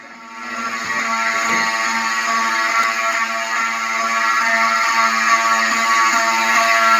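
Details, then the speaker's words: Fire station alarm system with 7002T horns, unsilenced after reactivation: loud buzzing horns pulsing three to four times a second, several pitches mixed; horns sounding normally. "So I'm gonna unsilence this and make it so you can hear. So all the alarms have different pitches. There it goes."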